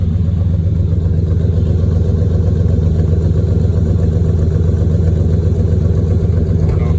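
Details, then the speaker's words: TBI 454 V8 with small exhaust leak, donut gasket replaced: lumpy idle with an occasional pop breaking the rhythm; intermittent misfire, owner suspects distributor needs replacing. "It's got like every now and then it'll pop, kind of misfire."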